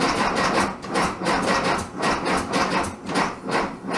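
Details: 1967 VW Bug, big-bore 2387cc engine, cold day (~15°F): rhythmic cranking about two surges a second with irregular pops, no catch; spark weak, owner suspects ignition.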